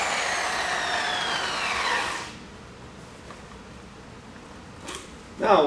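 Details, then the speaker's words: High-speed polisher/buffer, pressure raised from light to medium to heavy: high whine slides steadily lower in pitch over two seconds as pressure is added; bogs down, losing considerable RPM. "as soon as I started putting weight on it and started putting pressure on that pressure started to bog this Speedo so as soon as I did that it started to slow down quite a bit because I lost quite a bit of RPMs"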